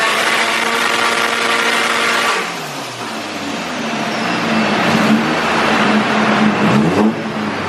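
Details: Stroked SR20 (SR22) 180sx, final full-load dyno pulls after fuel system overhaul and tune; winds up hard, drops back and climbs again cleanly with no misses or knocking.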